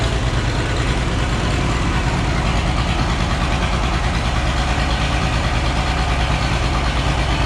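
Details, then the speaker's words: Oliver 1650 tractor diesel six, unrun about 3 years, idles heavy and lumpy at about three pulses a second with lots of smoke, not firing on all six; needs injector work, injection timing also found off. "And yeah, you can see it at least needs injector work. She's making a lot of smoke, not running on all six."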